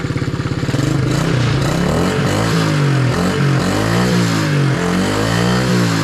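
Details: Long-sitting pit bike with fresh oil, hand-kicked: small single catches and revs cleanly with a crisp, even exhaust beat rising and falling; engine runs healthy; normal running and revving.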